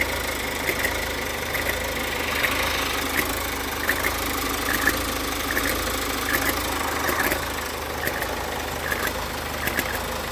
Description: Strange sound on 2018 Insignia 1.6CDTI. Heard it after 50km driving and restarting engine. Lasted about 30-60 seconds and disappeared.